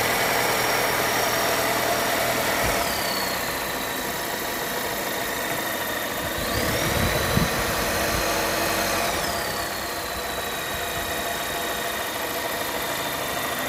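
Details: 2021 Volvo S90 B4 mild hybrid at idle with a thin high whistle above the engine noise, its pitch stepping up and down; source unknown. The owner says it is not the turbo; PCV valve, separator, alternator, pulleys, crank seal, balance shaft, timing belt and damper were replaced without fixing it.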